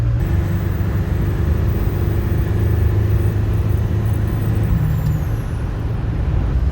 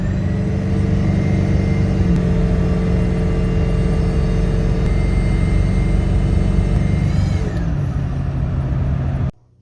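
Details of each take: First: Powerstroke diesel running on a used turbo of unknown condition pulled from spares, with the compressor wheel swapped in: deep diesel drone with a faint clean turbo whistle that drops as throttle eases; normal, healthy turbo spool. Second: Ford Powerstroke diesel turbo that sounded normal the day before: steady high-pitched whistles over the rumble, sliding down as revs fall; owner suspects failing turbo; abnormal turbocharger whine.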